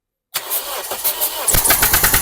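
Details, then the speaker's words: 2002 Toyota Yaris cranked with the spark plugs removed during an injector fuel-leak check: the starter spins fast, light and even with no compression pulses and no firing. "have a look spark plugs out that's why the misfiring"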